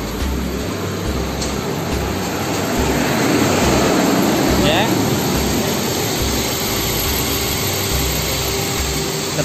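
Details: 2013 Toyota Rush after replacing a weak, discharged battery that caused a no-start: engine catches and settles into a steady, even idle with no misses or knocks; starts and runs normally.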